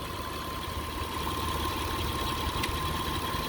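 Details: 2003 Mitsubishi Eclipse GTS 3.0 V6 with MAF code P0102: even steady idle with a faint constant high tone, no rising whine; power steering pump, reportedly whining before, sounds fine here.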